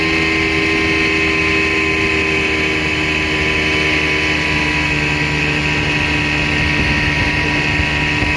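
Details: 1960 Scott-McCulloch 12hp outboard with a transplanted 14.1hp McCulloch powerhead, bronze Michigan Wheel prop, 24:1 synthetic fuel, cruising on the lake: steady two-stroke buzz at constant high revs with a clean whine, no misses or knocks; normal running.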